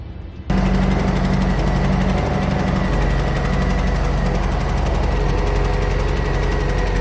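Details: Generator running on a TorkLift Lock and Load SideKick hitch cargo carrier for 2-inch hitches: steady, constant hum with no rattle or knocking, after 3/4-inch foam placed at the lock to stop rattling and vibration.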